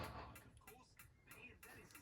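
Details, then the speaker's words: Truma Trumatic gas heater in a 2006 Swift Challenger: sharp, even piezo igniter clicks about three a second in a quiet room, sparking normally before the gas valve is pressed to light the flame. "And that's the igniter trying to ignite."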